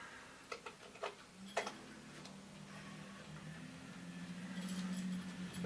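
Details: Commodore 2040 disk drive fitted with the 4040's chips: a few sharp clicks at power-up, then a steady low hum as the disks spin up evenly; drive sounds healthy.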